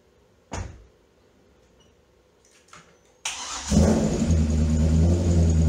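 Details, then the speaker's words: Early C6 Corvette LS2 V8 after codes cleared, with a previously not-fully-plugged coil causing misfire: fires up and revs with a steady, even beat and no stumble; normal running after misfire repair. "definitely runs a hell of a lot better now."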